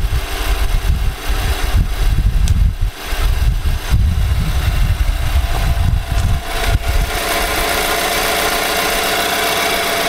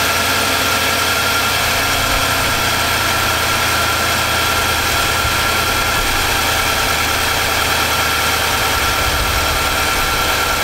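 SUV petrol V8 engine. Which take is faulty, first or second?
first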